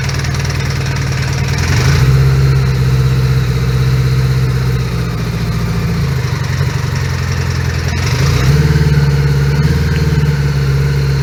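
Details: 1980 Honda GL1100 Goldwing four-cylinder, started totally cold at about 3°C after a full carburetor clean and overhaul; idle hunts and wavers with a shifting beat, never settling. Rough idle, owner suspects carbs are out of sync.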